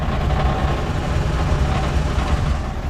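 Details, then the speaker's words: Ford F100 V8 idling after a shakedown drive, checked for a vibration issue. Deep rumble with faint, irregular metallic tapping where the exhaust touches the underbody; clearance was known to be close. "oh yep sure enough tap tap right there maybe even on that side well crap I knew that those were close but clearing is clearing"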